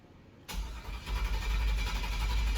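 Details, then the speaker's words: Freshly rebuilt iron-block 5.3 LS V8 after previous 320k-mile engine blew, completely dry after teardown, Holley intake; starter spins steadily with even low churn and no firing to pump oil pressure up before first start. "we're trying to pump oil for the motor here's some more pressure and uh because you know we had the motor completely apart it's got zero oil in it"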